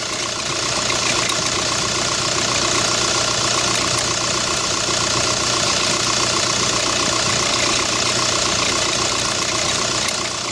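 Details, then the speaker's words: 2005 VW New Beetle TDI turbo diesel idling with a constant harsh grinding screech from the serpentine belt drive, heard on startup. The belt was already replaced without cure, and the grinding stops when the A/C is switched off. Cause: worn original tensioner pulley and replacement alternator with bent shaft; both replaced. "I'm going to turn it on and we'll see if we can hear it definitely grinding in there for sure I can hear something grinding"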